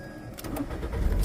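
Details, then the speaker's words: 2010 Ford Fusion after an alternator replacement done without diagnosis: a brief crank, then the engine catches and settles into a steady low idle with no stumble; it starts and runs, but it needs a battery. "Hey, hey, that's a winner. Need a battery."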